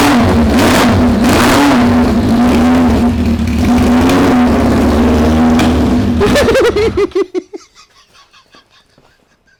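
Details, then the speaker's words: Suzuki Bandit 600 first start after setting the carb float heights, through a very loud exhaust. Raspy exhaust burbling unevenly at a fast idle before cutting out; runs rough and needs tweaking and tuning. "But it fires. It don't run very happy, it all needs tweaking and tuning and stuff as well."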